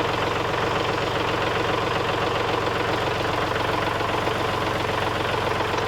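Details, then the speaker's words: Kubota 3901 diesel tractor with LA525 loader, after replacing the failed pump-to-manifold hydraulic hose and adding 1 gallon of fluid: a steady, even idle drone with no knocking; the loader lifts the bucket and rear end with no leaks. "Alright, as y'all can see now that rear end is lifted up off the ground. The bucket is up on the front. There are no leaks."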